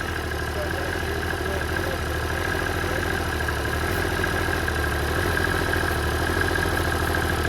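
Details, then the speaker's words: 70 hp Tohatsu outboard with idle surging and high idle after running at 3-4,000 rpm: carb spray around intake raises idle, fast rough uneven throb; air leak suspected near intake manifold or underneath, not confirmed. "but when we spray it up inside of there you saw that engine came up that kind of leads us to believe there's some type of air leak up inside of here maybe at the intake manifold or something else up underneath there"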